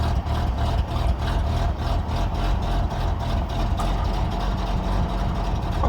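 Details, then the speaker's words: Peugeot 505 V6 manual, after long storage and after disconnecting and reconnecting both engine ECUs (injection and ignition): starts but idles low and lumpy; owner suspects too much fuel in the system from the injectors. "too much for first TR again there's too much FL in the system"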